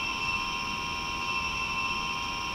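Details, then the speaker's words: Mini split indoor unit about 10 years old: loud, steady high-pitched whine from the fan. The blower motor's 608z bearings have dried out; the fix is replacing the bearings or the motor. "it's the bearings in the motor which have dried up or whatever make a lot of noise"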